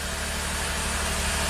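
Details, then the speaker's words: 2008 Saab V6 Turbo after replacing the engine computer and throttle body relearn: even steady idle, smooth low hum, no miss or stumble; all cylinders firing. "nice and smooth perfect well I'm not gonna run it too long but"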